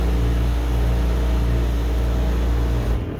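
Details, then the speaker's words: Miele T9800 dryer after a strong burning smell following a heating stop: loud, steady high humming from the motor while the drum turns slowly and no longer spins freely, as if under high resistance. Cause suspected, not confirmed. "so it turns a little slow i think and also very high i hope you can hear the very high humming noise almost sounds like the motor is having a high resistance somewhere"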